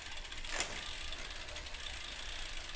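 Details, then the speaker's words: Bicycle rear derailleur after cable-tension adjustment, shifted to easiest ring while cross-chained: one crisp shift click, then even freewheel ticking with no grinding or chatter; shifting correctly adjusted. "And here, see, now you don't hear that sound so don't be sitting there going, whoa, that sounds like crap. No, it's adjusted the right way."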